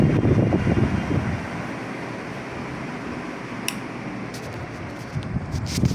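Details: Super Asia Golden Series 56-inch ceiling fan: steady low hum with airy whoosh and a faint rhythmic pulse; the fan motor hums, cause unknown.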